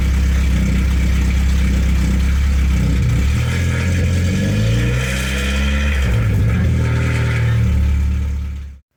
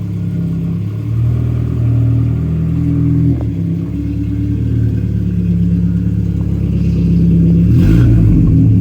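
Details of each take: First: 1992 Saab 900 2.1 non-turbo with a newly welded exhaust: loud deep unmuffled startup and blips with a light metallic rattle from an exhaust hanger not yet adjusted. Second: 1992 Saab 900 naturally aspirated 2.1 with newly welded replacement exhaust: deep, even exhaust note rising and falling smoothly with revs, no rattles or blowing leaks; normal, sealed exhaust.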